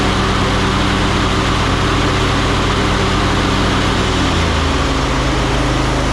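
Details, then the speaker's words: Ariens 20 hp riding mower, Briggs & Stratton V-twin, after repair of a no-start with no click or power: loud, deep, even drone settling to a slightly different speed midway, no misfire or knock; runs smoothly. "I well there you go takes quite a bit of work to get them going sometimes back to 100%"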